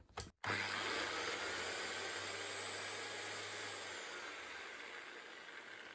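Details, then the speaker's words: Bosch Professional 9-inch 110V angle grinder after repair, with a burnt cable replaced by a new plug and shorter new cable: a brief click at switch-on, then a steady high-pitched motor whir that holds even, running normally. "It really was as simple as a new plug. Well, and a bit of new cable."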